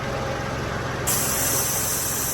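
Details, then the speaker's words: Peugeot 107 at idle after excess R134a refrigerant was vented from an overfilled A/C system: steady, even engine hum with a sharp gas hiss; the compressor no longer cycles in and out rapidly and the engine sounds normal. "it's come back down again. You can now hear it's not binging in and out really quickly. The engine sounds normal again."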